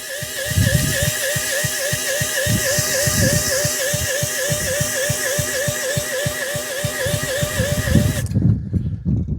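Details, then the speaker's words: Stuart generator engine, spun by a drill with no fuel system rigged and no water, after the air cap was loosened: even compression thumps about four a second but it never fires; cranks, no start. Owner suspects cranking too slow for spark or a need to prime. "Right, we have definitely got fuel in there. Why have we got no start?"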